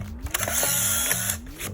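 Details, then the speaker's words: Rezivot Power Ranger power pack on a Polaroid SX-70/Sonar-type camera modified for 600 film, inserted with no film cartridge. Short burst of quick rising whirs and gear chatter as the motor cycles: normal power-up. "So currently I have no cartridges inside, so you actually hear it switch on once I put it in."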